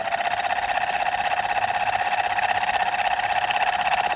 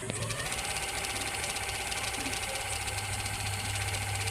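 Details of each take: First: Ceiling fan running with steady hum and even rapid knock about three per second; bearing loose in its seat. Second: Ceiling fan after the knocking noise was fixed with Fevi Kwik glue without replacing the bearing: steady even hum with a faint whir, no knock or rattle; runs smooth.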